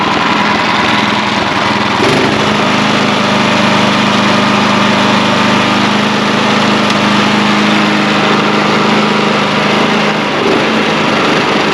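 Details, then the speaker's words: Snow blower small single-cylinder gas engine after replacing the clogged carburetor, test run outdoors: fires up and settles into a steady, even buzzing run with no surging; healthy. "I stopped it because I didn't want it to get too far running inside, but that gave me confidence to go ahead and put on this bracket here, and then now I will come out here and I will fire it up and make sure it runs well here."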